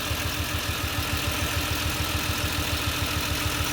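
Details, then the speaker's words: Engine idling after passenger-side valve cover gasket replacement and O2 sensor removal: steady idle with a faint regular stumble; owner suspects a loose plug wire causing a slight misfire, unconfirmed; no oil or water leaks. "So far, no oil leaks, no water leaks. Sounds like I got a little bit of a miss, so one of my plug wires might be a little loose."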